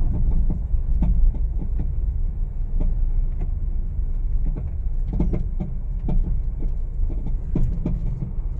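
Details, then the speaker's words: Honda Mobilio before repair, driven on a rough village road, since the noise does not occur on smooth roads. Loud, irregular hollow clunks and knocks come with each bump and are heard in the cabin. A loose stabilizer link is suspected, not confirmed. "ramai banget nih bunyinya sangat-sangat tidak nyaman didengar terdengar sampai ke kabin tentunya nih ya"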